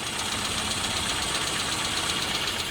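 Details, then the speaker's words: Mini 1275GT with 1275 GT engine after tuning: rebuilt carb, 1.4 ohm coil, original distributor, no ballast cable; even, steady idle with no misses or coughs, smooth unchanging hum, running cleanly. "So that's idling all finished now. As you can see, that's nice and steady. It's cuz it's got a rebuilt carb on it."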